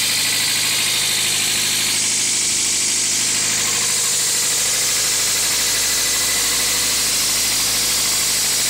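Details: 2000 Toyota MR2 Spyder at idle: thin, buzzy metallic rattle riding high over the engine note, something loose in the engine bay, source unclear.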